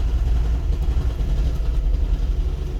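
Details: Toyota Prius hybrid: a low idle rumble that pulses and dips unevenly. The scanner shows misfire counts on cylinder 1, occasionally cylinder 2, and it calms when accelerating. Engine misfire at idle.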